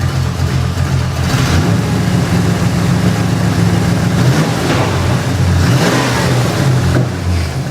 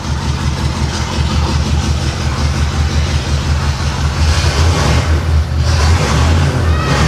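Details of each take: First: 1989 Pontiac Trans Am GTA V8, warmed up and running for a minute; strong, steady low rumble with an even beat, firing cleanly on all eight cylinders, possibly with an aftermarket cam. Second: 1989 Pontiac Trans Am GTA V8 with a rough, loping idle and an uneven low thump, not running on all cylinders, just after swapped plug wires were corrected. It is a misfire traced to a disconnected injector.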